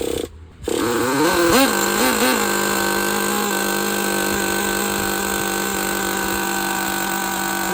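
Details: Used Traxxas Jato nitro 2.5 after finding the throttle servo bad: high buzzing engine blips a few times, then a clean steady scream with no sputter or hesitation; normal running.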